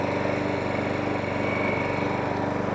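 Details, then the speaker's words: 1.8 Harrier 41 auto drive electric start lawnmower after pull cord and recoil spring repair, running at steady speed with an even fast beat and a slight hunt; normal running. "So there you go. 1.8 Harrier 41 auto drive electric start, now all up and running."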